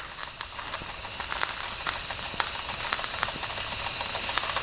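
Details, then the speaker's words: 1992 Wilesco D400 live steam toy tractor, no. 447 of 600, running after a fix: a soft steam hiss with quick, fairly even exhaust chuffs, about three a second, slowly firming up; it runs fine. "well well well look at that it runs cool"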